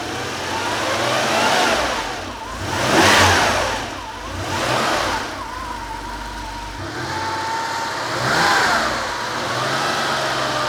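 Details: Porsche 911 Carrera 3.2L flat-six on an engine test stand, first start after sitting: engine swells up and down in smooth revs every few seconds, pitch climbing cleanly with no knocks or rattles; healthy revving.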